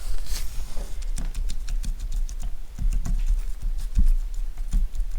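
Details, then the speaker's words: TVR Speed Six cylinder head stripped on the bench, exhaust valve rocked by hand in its guide: light irregular metallic clicks from excessive play; worn exhaust valve guide suspected as the cause. "I know there'll be an amount of play and the exhaust get hot, but that seems like way too much. So, fingers crossed that might be our smoking gun."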